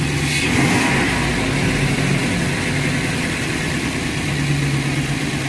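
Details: 2009 Ford F-350 5.4 V8 with high idle rpm and occasional stalling while driving, no codes, after cleaning and replacing the throttle body: low, steady rumble with a mild rev rise early, no knocks or misses; running normally.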